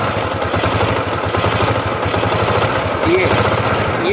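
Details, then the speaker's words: Honda CG125 single idling, mic close to carburetor; won't hold idle despite new plug, coil and CDI: uneven idle with sharp puffing hiss each pulse; intake air leak through cracked carburetor insulator. "Sound जो है ये फस पस की sound कर रहा है means कि एयर जो है"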